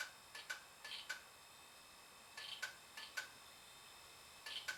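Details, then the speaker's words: Rare Digital PC 5000 Pentium II system powered on cold, possibly shipping-damaged; faint sharp double ticks repeat every couple of seconds as the hard drive heads retry, drive failing. "i don't remember which one's the hard drive led i think it's the bottom one that sounds freaking horrible i think that's it i think it's done now"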